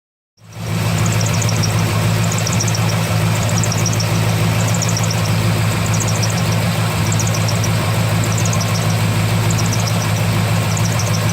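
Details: 2003 Corvette Z06 V8 idling: high thin squeak chirping about once a second from belt area; main belt brand new, noise began thirty seconds after install; main tensioner pulley seems fine; AC belt, idlers, harmonic balancer suspected.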